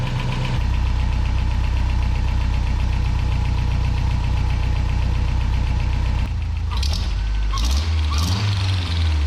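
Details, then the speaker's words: 1992 Toyota pickup 4-cylinder idling after the header install and swapped studs. A quick puffing tick, about four a second, over the low idle, heard flowing through the exhaust. Diagnosed as an exhaust leak up at the header. "And what's crazy is you can hear that exhaust leak like flowing through the exhaust almost. So it's gotta just be up there."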